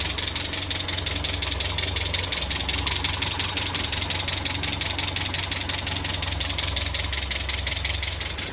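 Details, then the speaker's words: Land Rover Series 3, first run in months after head gasket replacement, timing set by ear: fast even ticking clatter over the idle. Engine clatter at idle; owner wonders about valve clatter or low oil. "It's very clattery though. I don't know why it's so clattery, so I'm going to turn that off and tighten that."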